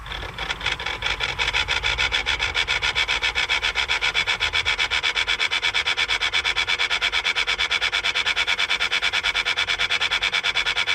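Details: 2014 Jeep Grand Cherokee EcoDiesel V6, ignition on (run mode) with engine off, fast even dry rasping pulse from the engine bay.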